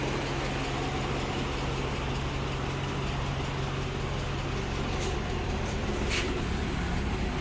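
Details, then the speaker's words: Suzuki Esteem 1.6 sedan, old car: idle not perfectly smooth but still normal, usable for long distance with decent pull; steady low warm idle, slightly uneven beat, no knocking or ticking. Normal idle. "Hai meskipun gak halus-halus banget untuk suara mesinnya Tapi ini masih normal dia dipakai jarak jauh dan juga tarikannya juga masih dapat"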